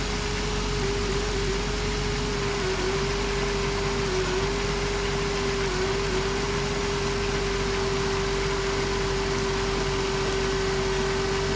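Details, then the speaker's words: 2007 Dodge Grand Caravan idling rough with a hum that sags as cylinders miss; owner suspected the coil pack, but a damaged spark plug wire boot was found arcing. "the van has a bit of a misfire going on and I suspect it could be this coil pack here"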